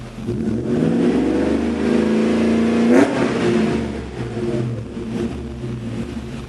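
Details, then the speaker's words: 1994 Mercedes E420 V8, 177,077 miles, cold start at about 40°F in a garage: deep, even burble with a clean rev climbing and dropping back, no knocks or misses; vapor is condensation, full pressure; normal cold idle and revs. "So yeah, she sounds pretty good. Don't be scared, it's not smoke, it's condensation. It's like 40 degrees right now, if not colder, but anyway."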